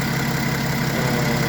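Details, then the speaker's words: BMW X6 40d diesel after replacing the accessory drive belts: steady, even idle with a smooth low drone, and the earlier rubbery squeal is gone. Some smoke is from spilled coolant evaporating. "Autrement, j'ai plus le bruit, hein, quand ce couinement que j'avais"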